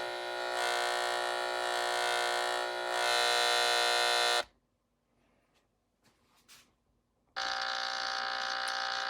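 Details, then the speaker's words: LED shop light's driver transformer, probed with an LM386 hum finder: thin, steady high-pitched buzz that stops when the light is switched off and returns when on; the unshielded, ungrounded transformer is probably leaking the electrical noise. "it's only with the light on, so it's coming from the light itself. So dissecting this light, this is the area in question, which would be right over here where most of the noise is coming from. So that noise is coming from this transformer."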